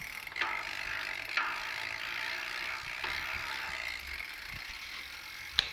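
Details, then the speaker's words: New Sturmey Archer X-RK8 (W) 8-speed rear hub, replacement for failed older X-RK8: silent in first gear, from second gear fast sharp ratcheting clicks with louder snaps, worsening in higher gears; abnormal internal hub ratchet noise. "If I switch this into second gear, the noise starts happening."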